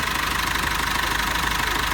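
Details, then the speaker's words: Cummins ISF 2.8 diesel in GAZ Sobol/Gazelle, about 200,000 km, after timing chain and tensioner shoe replacement fixing a knock, new hoses fitted: even idle, steady regular firing beat, no knocks; normal diesel idle. "этот мотор работает ровно на вибрациях корабли и так до работает неплохо"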